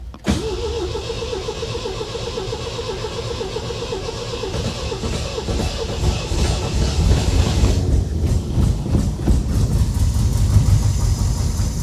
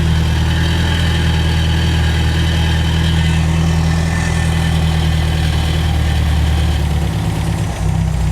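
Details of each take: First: 1975 MGB bought at salvage auction, sat for 16 years, first start attempt using starting fluid: engine cranks, fires and runs roughly for several seconds, then the rhythm falters and it dies. It won't stay running; the fuel line is still to be traced. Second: Warm idle of a 1975 MGB that sat 16 years, running before its new carburetor arrives (brakes and clutch not yet working), oil pressure just over 50; deep, steady, even rumble with no misses or knocks, a normal healthy idle.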